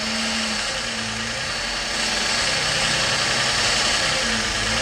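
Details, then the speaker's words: Petrol engine idle with brake cleaner spray hiss; idle changes when spray hits a vacuum leak at rear plenum gasket, possibly blue EGR O-ring after recent tune-up. "Okay, guys, I got a leak back here."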